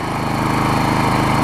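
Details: Troy Bilt push mower with a Briggs 5hp Quantum engine, after cleaning the main carb jet and removing the self-propel parts, at full throttle (reluctant to idle down). A steady, even, fast beat with no misses or surging: normal running.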